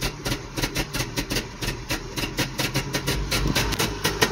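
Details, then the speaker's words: 1986 Toyota 4WD truck, 22R engine with freshly rebuilt carburetor, new jets: lumpy idle surging about once a second that sputters and dies off throttle, running rich; the fault was a float level set too high despite matching spec. "second you look put off the gas it'll start to sputter and die unless you give it a little gas a lot of gas"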